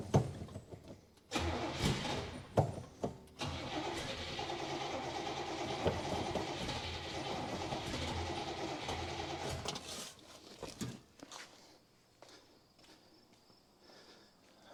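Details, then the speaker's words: 1966 Buick Special small V8, long unrun, with a suspected bad fuel pump. Engine catches in short bursts, runs ragged for a few seconds, then dies. Fuel is squirting and pouring out. "all right guys we're done with this one today because it is pouring fuel out"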